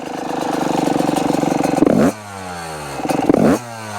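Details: Yamaha YZ125 two-stroke, previously running rich, after jetting changes and air screw adjustment: idles with rapid buzzy rattle, snaps up cleanly on two quick blips and drops back, normal response.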